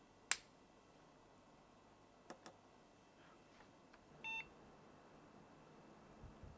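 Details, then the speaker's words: 17-year-old PC at power-on in a quiet room: one short high POST beep a few seconds after startup. The warning suggests a possibly faulty RAM stick; removing a stick is the first thing to try. "But it sounds like we've got an issue with a stick of RAM."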